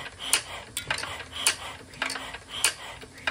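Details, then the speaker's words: Igniter-fired hit-and-miss engine with a red LED and 120 ohm resistor from the igniter terminal to ground to check magneto timing: sharp, evenly spaced metallic clicks about once a second with a ringing tail; the igniter trip timing is normal. "But the main thing is, when you hear that trip on the igniter, you see that flash."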